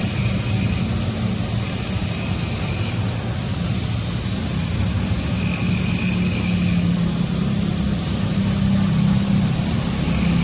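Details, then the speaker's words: Honda Vario 125 scooter after repair, engine running steadily at even pitch with no knocking or clunks; earlier rough rear-wheel sound, following a rear brake pad change, was traced to a worn swing arm bearing, now replaced. "This problem has now been resolved and now all that's left is to install the exhaust."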